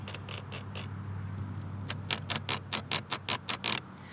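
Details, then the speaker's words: 2021 Lincoln Aviator Grand Touring AWD plug-in hybrid, sound system playing: under a low steady hum, sharp buzzy rattles and squeaks in quick bursts, two or three a second, coming from one door trim panel only. "the only problem is there's there's like a rattling going on and there's like you can hear like squeakiness i don't know if you can hear"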